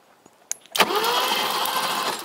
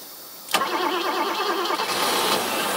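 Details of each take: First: 1980s BMW 6-Series E24 CSi manual coupe, parked since 2001, cranked with the plugs out after the starter solenoid was tapped free; a sharp tap, then an even, unbinding whirr as the engine turns freely, not seized, with strong spark. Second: 1980s BMW E24 6-Series CSi, manual, parked since 2001, fuel pressure 2.5 bar. Sharp catch under cranking, a few seconds of ragged running, then it dies. Engine stops as soon as cranking stops; cause not yet known.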